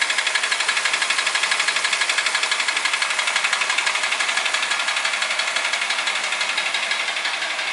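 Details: Toyota Ractis 1.3 2SZ-FE, 6 years, 100,000 km, oil changed every 7–8k km, uses 500–800 g between changes; timing chain, tensioner and guides replaced without effect: fast even ticking about four per second over thin high-pitched engine sound; persistent internal knock.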